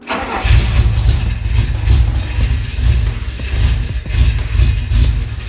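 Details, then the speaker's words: Toyota Corolla KE55 with 4K-C engine, first start after long out of the car, with fresh oil, coolant, gearbox and diff oil and a new battery. The distributor had been 180° out, firing on the upstroke; once rotated, the engine catches and settles into a deep, uneven but steady idle. "when i put it back in it was 180 degrees in the wrong position so these were trying to fire on an upstroke with the spark now i took the distributor off i rotated it at 180 degrees i put it back in again and now we can actually start the car"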